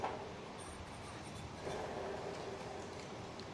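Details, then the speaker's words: Cub Cadet 60-inch Tank commercial mower, new aftermarket deck spindle spun by hand by the blade, mic held next to the spindle: even, smooth whir spinning down, no grinding; it replaces a bearing that was noisy for a year or two. "Smooth as butter. So that's been making that noise for a year, maybe even two, and that's really going to quiet it down."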